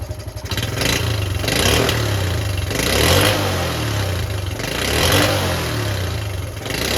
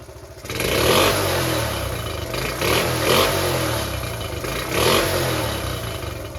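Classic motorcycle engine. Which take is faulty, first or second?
first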